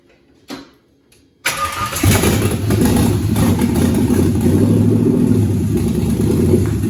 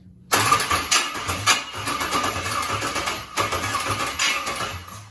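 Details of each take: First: LS-swapped 41-year-old vehicle with a 36,000-mile all-aluminum LS V8, once it gets fuel: a few quiet cranks, then it fires right up and settles into a steady, even idle with no misses. Normal start. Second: LS-swapped 41-year-old vehicle with a 36,000-mile all-aluminum LS V8, cranking on first start attempts with fuel being primed: uneven cranking bursts that never catch, sounding weird. A stuck injector is suspected. Crank, no start.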